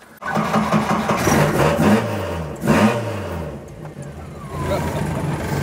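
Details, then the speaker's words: Mk2 Ford Escort 'Maude' before new rear silencer (bat box) fitted: engine catches and settles into a loud, raw, booming idle with blips; worn rear silencer does nothing to quiet it, neighbours hate it. "I've actually got a new bat box to go on it so hopefully it won't sound as ridiculous the neighbors hate it"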